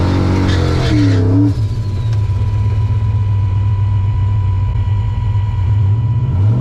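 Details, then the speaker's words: Drag-racing wagon on a hard pass: loud engine stumbles, loses its steady drone and pops unevenly; misfire and backfire from ignition sync loss, owner suspects a failing Hall-effect cam sensor after hot-lapping. "Might crank sink issue is getting worse. That's not good."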